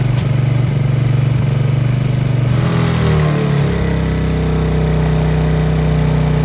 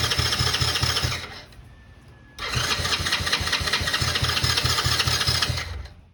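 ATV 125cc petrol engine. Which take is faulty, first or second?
second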